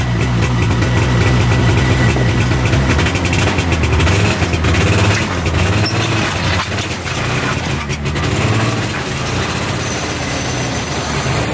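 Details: Arctic Cat Panther 440cc two-stroke snowmobile, bought as no-spark non-runner, on test drive after fix: crisp buzz rising and falling with throttle, even firing, no misses or knocks, still smoking; running really good.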